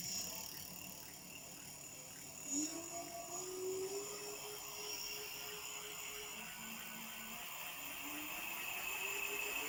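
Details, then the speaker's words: E-bike (Java One build, EM3ev parts) first motor test after final assembly: quiet electric whine climbing smoothly in pitch, no grinding or clicking; motor runs normally. "That sounds good. That's really nice."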